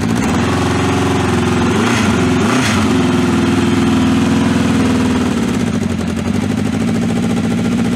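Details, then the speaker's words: Vintage motorcycle, cold start after fuel was turned on; engine catches and settles into steady, slightly lumpy idle that holds without dying, sounds beautiful: normal cold start and idle. "oh you forgot the turn to fuel a lot awesome cuz I've done that many many times oh that sounds beautiful"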